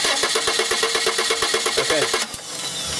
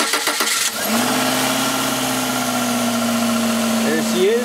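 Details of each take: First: 1995 Subaru Legacy 2.2 with waste-spark ignition (two coils): the starter cranks evenly and the engine never catches. No spark because test-light checks show no coil negative control from the failed igniter; fix is replacing the igniter. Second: 1995 Subaru Legacy 2.2 after new igniter installed: brief cranking, then it catches at once into a steady, even idle with no misfire; good spark restored.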